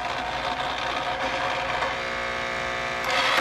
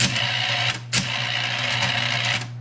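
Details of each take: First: Bell & Howell Slide Cube RF60 projector, whirring advance mechanism then a sudden clatter and abrupt stop; a slide jammed in the changer. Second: Bell & Howell RF60 Slide Cube projector: steady cooling fan hum, then short click and whir as the slide mechanism advances by remote and settles; advance works normally.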